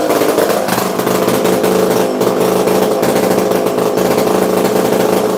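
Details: Used chainsaw with manual oiler only and missing muffler, restarted with decompression valve pushed in: crisp steady two-stroke buzz holding even speed without stumbles or misses; normal running.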